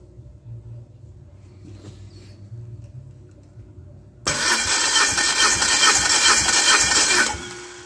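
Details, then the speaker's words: Dodge Neon race engine on test stand, hot, plugs out for compression test: spins over at even, quick cranking rhythm with no hesitation, compression sounding uniform; healthy. "well that's not too bad this is just it's a sweetheart of a little engine"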